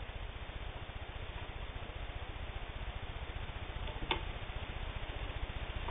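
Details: WWII-era Singer 15-91, internal can motor and worm gear drive, sewing thick split leather; even stitching beat about two and a half per second under steady motor hum, never bogging; healthy.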